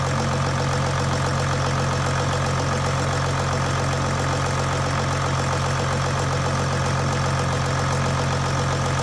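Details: 2008 Jeep Grand Cherokee WK CRD, Mercedes OM642 V6 diesel, idling after timing chain tensioner replacement: deep, steady idle with even beat, no rattle or chain slap, no oil leak at tensioner, healthy.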